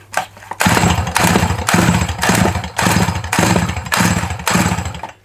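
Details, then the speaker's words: Dolmar 100 chainsaw fires in short rough bursts about twice a second and sputters out, won't keep running; owner suspects not enough spin on the pull (starter string lacks tension and pings back) and no petrol getting through; cause unconfirmed. "I think the problem is we can't get enough of a spin on no petrol getting through but she runs and she runs bloody well"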